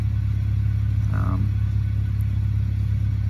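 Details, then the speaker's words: 1995 Honda Civic that had been idling up and down, after wiping down and resetting the IAC valve: steady, even low idle hum with no hunting, surging or misses; normal idle. "but that seems to be uh what my car needed was just a quick wipe down and a quick reset"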